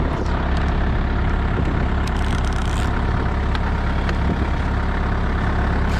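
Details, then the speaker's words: Used Moffett truck-mounted forklift diesel that won't shut off: steady low idle chugging evenly after battery disconnected in hope of killing it; engine keeps running, cause unknown. "I'm hoping this will kill it of course of course it doesn't or does come on come on die die die die die wow that's [Laughter] ridiculous"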